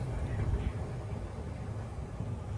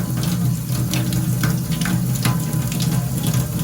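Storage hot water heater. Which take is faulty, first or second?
first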